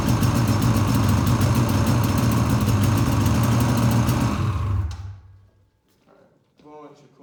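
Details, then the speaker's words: 2013 Polaris Rush 800 two-stroke, first startup after rebuild: loud rough running with a fast, fairly even clatter about three per second, then shutdown; owner suspects noisy starter drive; blown head gaskets later found. "there you guys go it sounds like my starter drive is making a lot of noise"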